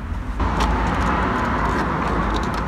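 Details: While driving after Würth silicone spray was applied to the dash and trim joints, only a smooth, low road and engine rumble is heard, with no squeaks or creaks; no interior trim squeaks.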